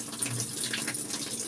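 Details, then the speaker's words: LG top-load automatic inverter washing machine, set to wash, after a part was replaced for very weak water filling: a strong, steady rush of water into the drum with no sputtering. The fill flow is now normal. "Ang lakas na an napalitan ko na yung piyesa. Okay na. Lumakas pasok ng pakahinya parang ihi lang ng pusa"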